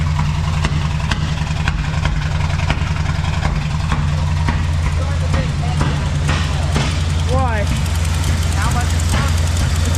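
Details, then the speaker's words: 1971 Chevy K-20 after 15 years sitting, smoking: low uneven lumpy idle with irregular stumble, one cylinder dropping out; owner suspects a plug wire on wrong. "I got a plug wire on wrong yeah we could be just missing the cyinder well dang it it does run"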